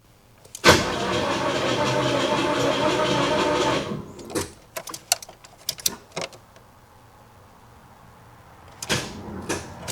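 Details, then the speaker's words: 1984 Chevrolet S10 Blazer sitting about 13 years: a sluggish, labouring churn for about three seconds that never catches; the starter turns very slowly on a dead battery and terrible cable connections, and the starter itself seems all right. "That starter is slow. That starter is really slow. It's just [groaning] like you can hear it just barely rotating."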